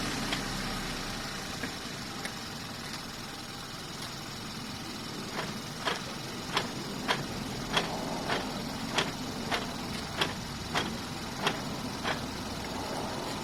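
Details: 2012 Hyundai Veloster Base, 150k miles, idling: sharp evenly spaced click a bit under once a second; source unknown, owner also notes harder shifts and front bouncing on gear changes, plans transmission fluid change.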